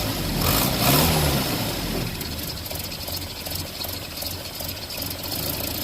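A fast, fairly regular tick, about three or four a second, rides over a steady idle; the source is unclear, possibly exhaust leak or lifter.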